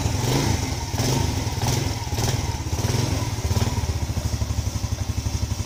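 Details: Yamaha Lagenda 115 with hard starting when cold, after pilot jet change and main jet 100, started with engine cold: catches quickly, settles into steady even low thump at idle with no misses; normal start and idle.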